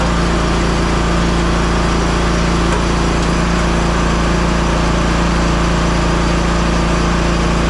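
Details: Hustler Raptor SD 60-inch mower, model 934612, after deck belt replacement: steady, even engine note with no surging or knocking, deck engaged; running normally.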